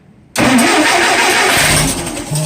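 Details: 1959 Allis-Chalmers D-17 farm tractor after rewiring, restarted: quick crank catches at once and settles into a steady idle with no stumbling. Normal start.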